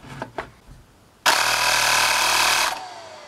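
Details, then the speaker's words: Cheap 12V air compressor after rewiring motor, added cooling holes and lubrication: steady high buzzing rush holds about a second and a half, cuts off cleanly; running normally. "yeah that's the sound of a turbocharger excellent that's good"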